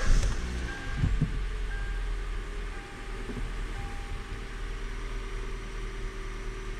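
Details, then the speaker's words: 2014 Hyundai Elantra at idle after fitting a new ignition coil to fix cylinder misfire: smooth, even idle with no skipped beats, firing on all four cylinders; misfires gone though CVVT limp-home state remains. "okay so some good news the misfires are gone so this vehicle's running on all four cylinders again that part is good"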